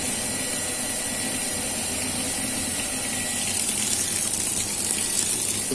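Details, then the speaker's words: Water pump after a repair for weak, trickling output: steady pump whir with a full rush of water instead of a trickle, the sound clearly changed; normal running. "oke suaranya jenis suaranya juga sudah beda ya ini terdengar air keluar"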